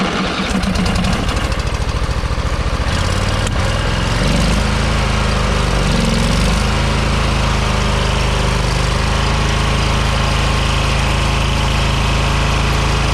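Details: Scrap engine deliberately run without oil to try throwing a rod: harsh rattling run with loud knocking that roughens and drags down as it tightens toward seizure; it seized without throwing a rod, a tight spot felt when spun by hand.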